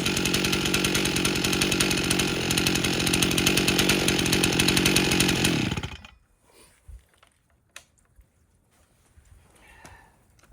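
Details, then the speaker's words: Rebuilt 1998 Stihl 044 Magnum chainsaw with 25-inch bar and oversized clutch, first test run after carburetor tuning (idle spec 2700, max 14,000 rpm), dump test: crisp, even two-stroke buzz held steady then cut cleanly; running normally, no apparent air leaks. "we're dump testing it and it's doing fine no apparent air leaks"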